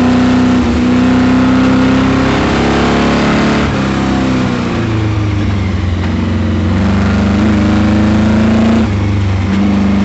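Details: CP Camaro V8 during autocross, pulling hard through gears with a ragged, uneven knocking under load, first thought a miss, found to be a spun bearing.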